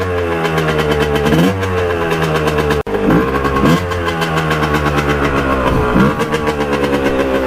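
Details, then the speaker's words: 1989 Kawasaki KX125 two-stroke, clogged pilot jet cleaned earlier, warmed up, first test ride: revs blip up and down but sag and stumble as throttle opens off the bottom, foggy and really boggy; bog off idle. "now oh it's foggy foggy off the gun [Music] really boggy"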